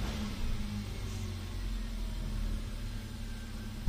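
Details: 2012 Hyundai Accent automatic that cranked without starting for a week; after replacing the fuel pump O-ring, it runs with a quiet, steady idle and no misfire.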